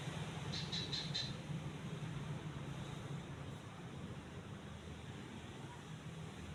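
Soft, even low hum with a few faint light ticks early on, no rubbing or wobble; the fan runs quietly and healthy.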